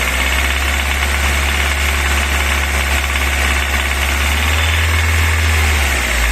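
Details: VAZ 21124 with a ringing knock at about 1500-2500 rpm with no load (revving at idle) that disappears under load; quieter when cold. Car was bought with it, driven 13,000 since; oil pressure 2 kgf/cm². Cause unknown.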